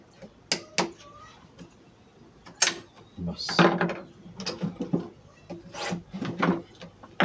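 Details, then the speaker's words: Treadle sewing machine, after its other fault was fixed: the treadle linkage makes irregular wooden clacks and ratchety clunks in uneven bursts while worked, noisy though it doesn't turn; cause not yet found. "এখন পাদানিটার একটু সমস্যা, এই প্রচুর শব্দ হচ্ছে, ঘুরতেছে না কিন্তু শব্দ হচ্ছে, এই শব্দটা রাখা যাবে না, এই শব্দটা মেরে দিতে হবে।"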